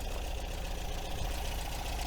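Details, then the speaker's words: 1980 MGB after breakdown, fitted with a coil from another MG for better spark, before warming up: low steady idle with even beat, no knocks or misses; running smoothly. "that sounded pretty good to be honest with you now"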